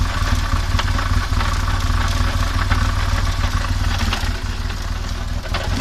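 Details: Rough noise from the final drive of a BMW R1200GS: deep rumble with an uneven clatter near four per second riding over it; cause unclear.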